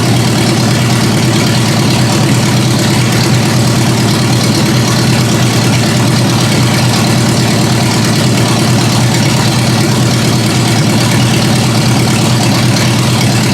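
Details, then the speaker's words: Engine at steady, even idle on its own after raising idle speed and backing out the mixture screws; constant low drone with no misses, stumbles or hunting, before checking transmission fluid and a test drive. "Alright, I got it to idle on its own. I bumped up the idle speed a bit and pulled out the mixture screws some."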